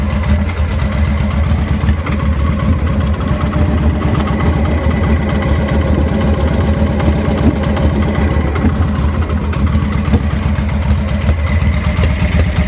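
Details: Deep loping irregular V-twin idle that stumbles now and then, 2000 Victory V92SC with rough idle and stalling.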